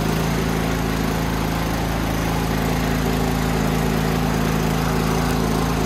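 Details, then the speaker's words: Toro Power Max 824OE snowblower after no-start fix and carb rebuild, running after priming: steady even single-cylinder putter, no misses or surging; brief hunting when auger engaged smoothed out; carb set lean for California emissions; runs well. "Furious she's a runner runs pretty well too there's a little bit of uh there was a little bit of hunting there a second when I turned on the uh the auger but that smoothed right out"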